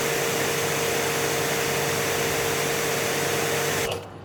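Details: Active 3.0 pressure washer (rated 3 GPM), just fired on, not warmed up, with 50-ft steel braided hose during PSI test reading about 845 PSI; even motor hum and loud spray hiss, steady until trigger release; healthy under load.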